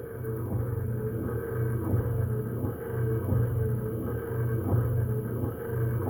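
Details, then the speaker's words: Mopar A-body Hemi Duster after installing the wiper transmission, with the wiper motor run off a 12 V battery charger. A steady low hum with an even sweep about every 1.5 seconds, no binding, and it speeds up slightly: normal wiper motor operation. "But at least we got her that far now. Wiper motor sounds good, too."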